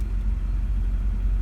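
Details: 1990 Toyota pickup with 22RE four-cylinder idling at about 950 rpm, vacuum about 17–18 inHg, 12.5 V from the alternator: steady deep rumble with a mild uneven pulse, no knocks or ticks. A normal slightly rough 22RE idle.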